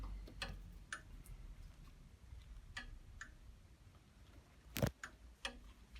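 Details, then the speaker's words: Fagor FUS 6116 IT washer dryer, switched off and unplugged after hot drying, plug cable hot; sharp irregular clicks about one per second, suspected thermostat, door interlock or board; clicking after power off. "sounds like there's a thermostat or something clicking in and out there. Can you hear it? There sounds like that's the door. It could be on the board."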